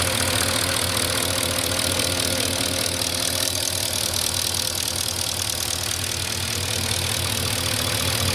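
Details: 2004 Porsche Cayenne S 4.5, about 50k miles, well maintained, idling about 3 minutes after a cold start. A steady, fast, light valvetrain-type tick rides over an even idle throughout. The owner thinks it is normal, not scored cylinders or piston slap; source unconfirmed.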